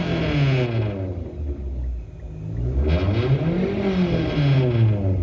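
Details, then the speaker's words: Mitsubishi Lancer with a DIY turbo install, blow-off valve and boost gauge being tested: free revs rise and fall with no turbo whistle climbing over them, so no spool is heard; cause unknown, and a whistle appears later. "Huh. Why ain't I hearing turbo spool? Now what did we do?"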